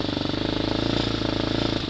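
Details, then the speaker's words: Hawk 250 motorcycle single-cylinder, cold start, half choke then choke off: quick even putter with a cough, occasionally missing at low idle, near stalling; owner says it mostly goes away as it warms up. "idles a little low and they're stalled out but anyway you got to hear that coughed that I was talking about where it just misses a little bit and as it warms up that'll go away almost completely"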